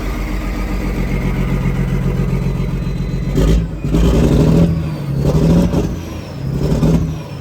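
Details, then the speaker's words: Detroit diesel truck, first start after sitting 11 years once the ECM was sorted: lumpy uneven idle surging in slow waves, missing badly; engine position sensor reading suspected. "She's alive! It's missing like crazy, but it's alive."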